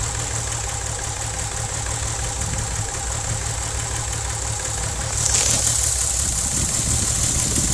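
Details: VW VR6 12V at idle, misfires on cylinders 2, 3, 6 (mostly 3), coilpack, plugs, wires, coolant temp sensor and purge valve already replaced: lumpy idle with irregular stumble, rev brings a hiss, check engine light blinks; smooth while driving. Rough idle misfire, cause not found.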